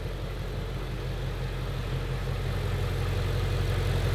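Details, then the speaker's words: 2018 Ford Shelby GT350 V8, rebuilt Copart wreck, first start after frame repair, a little warm: smooth even low rumble at steady idle, no knocks or misses. Normal warm idle. "all right it's a little bit warm now"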